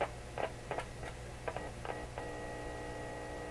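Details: Deforest Crosley shortwave radio on restricted power, checking output tube grid voltage at pin 5 (minus 3 volts): steady low hum with thin tones and irregular probing clicks; audio weak, cause not yet found, bias problem suspected.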